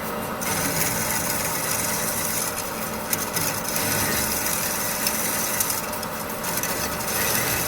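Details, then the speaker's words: DoAll C-305 NC band saw in automatic mode with slow feed: steady rasping cut that swells and thins every few seconds as the bite comes and goes; worn blade cutting unevenly. "not the best blade in there you can hear it cuts and then it doesn't got a nice slow feed on there"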